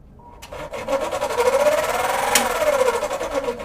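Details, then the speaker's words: Cadence kitchen extractor hood, speed one: wavering motor hum under harsh rapid scraping, something rubbing the fan impeller, unit vibrating and not sucking; usually dirt or dirty oil binding it, cleaning with WD usually fixes it. "Estágio um fica vibrando. Entrou [Risadas] [Aplausos] no Entrou no barulho também. Tem alguma coisa raspando lá na na ventuinha"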